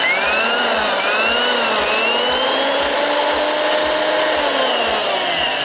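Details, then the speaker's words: Corded drill (max 500 W) running unloaded from the 220 V output of a homemade 12 V-fed adjustable 0–220 V inverter; steady high-pitched whine with soft pulsing about four times a second, even speed; runs normally. "Gayet güzel çalıştı. Tekrar çalıştırayım."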